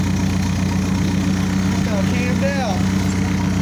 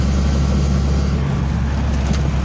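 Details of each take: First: 1985 Toyota Sunrader motorhome, 22RE engine, idling after fitting LCE street header kit, no catalytic converters fitted; loud, raspy idle with a steady pulse of about four beats a second from the open exhaust. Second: 1985 Toyota Sunrader motorhome, 22RE engine, after fitting LCE street headers, driving under load through the gears: deep even drone with steady exhaust note and no knocks or leaks; sounds healthy and more responsive.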